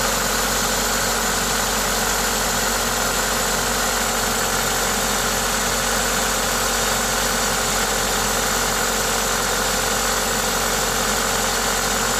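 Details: Toyota 2ZZ-GE engine at idle with an aftermarket induction kit: even, steady idle with a loud airy intake hiss from the kit, no knocks or ticks; normal, healthy engine noise.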